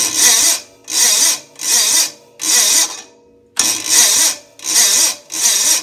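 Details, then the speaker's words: Onan CCKA engine on a Red Gravely 450, roughly 45-year-old OEM starter with sticking Bendix gear: short, labored whirring cranking bursts about once a second with gaps, engine never catches; slow crank, no start, owner blames tired starter and replaces it. "yeah things dead I need a new started that's simple"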